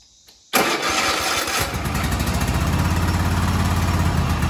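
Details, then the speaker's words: Kohler KT735 twin-cylinder 7000 series engine, 671 hours, on Cub Cadet SLX50, half power; uneven lopey beat about three and a half pulses a second with missed firings; running on one cylinder from failed ignition coil, both coils replaced. "now this is only running on one cylinder this is a 7000 series this is a KT 735 twin cylinder colar engine"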